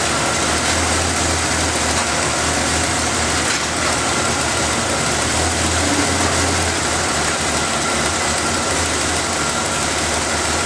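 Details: After refitting the intake's vacuum lines, air filter and cover, the engine is started to listen for air-leak hissing: smooth, even idle with a steady low hum and no ticks, hiss or misses. The engine sounds healthy.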